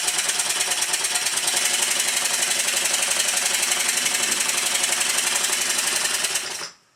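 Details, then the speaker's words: Stuart triple expansion model steam engine, newly timed LP and HP cylinders, running in on bench on rubber mat: quick even chuffing, roughly 230 a minute, steady without clatter; running smoothly. "well that's good I run it to this speed for quite a long time and nothing's fallen off yet"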